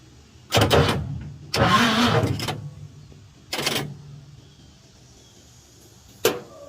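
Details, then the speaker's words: 1952 Chevy truck after starter replacement, first crank in years with fluid earlier put in the cylinders: short, sluggish cranking bursts turn the engine only a few times without catching, slight smoke; owner says it's not getting the voltage. Slow cranking. "try it again yeah it's not getting the voltage well it did turn over a little bit"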